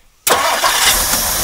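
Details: 1959 Mercury Monterey V8, revived after a decade asleep, with idle a bit high. Fairly warm but not fully at temperature: short crank, catches at once, settles to a steady even run with no stumble; healthy hot start.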